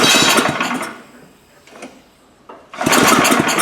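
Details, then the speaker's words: Gravely power brush sweeper unused in a shed 10 years: small engine fires and roars briefly on fuel dumped in the carb, fades and dies, then catches again; carburetor bowl likely clogged, carb to be cleaned. "Bowl is probably clogged with stuff. Yeah, the carburetor's going to have to come apart."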